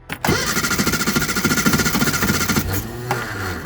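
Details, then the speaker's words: Reliant Supervan (early-2000s Eddie Stobart one-off) cranking with carburetor disconnected from fuel pump: steady rapid starter chug, three to four pulses a second, not catching; flooded carb wetting spark plug, faulty carburetor, possible vacuum leak. "putting too much fuel in and just wetting the spark plug. So if I put my finger over there, got the carburetor now disconnected from the fuel pump."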